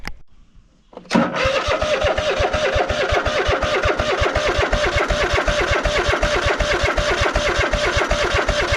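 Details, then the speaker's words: Cub Cadet GT1554 V-twin mower, sat 10 years after a rollover: steady starter cranking at nearly three turns a second that never fires; fuel starvation, little fuel reaching the filter, blockage or debris suspected. "H getting fuel in the filter and not a whole bunch. Interesting. Maybe there's a blockage in the fuel filter. There might be a block in the line."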